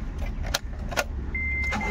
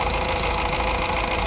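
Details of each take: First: Honda Amaze diesel with low pickup, vibration and check engine light; after clearing codes, current fault is number 3 injector circuit open (P0203). Catches and idles unevenly under warning chimes, stumbling beat of a dead cylinder; misfire from open injector circuit. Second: Honda Amaze diesel after misfire repair (had vibration, low pickup, check engine light, DTC P0203): light revving now even and smooth, engine quiet, no stumble; misfire solved and check engine light gone.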